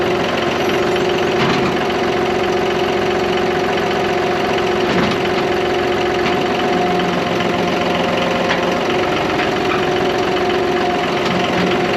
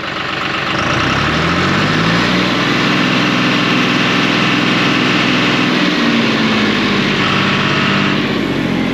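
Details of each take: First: John Deere 5203 diesel tractor with 512 loader, 740 hours, which had a hydraulic problem and milky oil: after an oil and filter change it idles with a steady diesel clatter and an even beat, and the hydraulic pump does not labour. Healthy running. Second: Tractor diesel running warm: whine rises then surges briefly as hydraulics kick in, only once in a while; owner hopes a new hydraulic pump fixes it.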